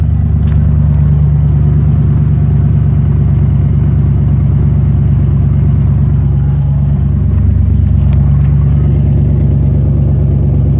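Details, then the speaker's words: 1990 Ford Bronco 5.0 V8 with the throttle position sensor disconnected: loud raw rumble at a fast idle of 1200–1500 rpm, with no exhaust past the catalytic converter (it rotted off); fuel pump and power steering whine are also present. "When you start it up, it idles around 1200 to 1500 RPM, and it drives normal."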